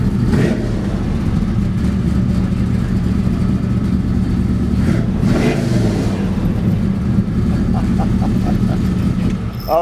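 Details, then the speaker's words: 1969 Chevy C10 with new Blueprint 396 V8, Holley fuel injection and Tremec TKX 5-speed, heard from outside; deep even rumble with a clean rev blip, no ticks or knocks, much healthier than before. "Sounds good. I haven't even really heard it from the outside. Oh, it sounds much better than it did A little before."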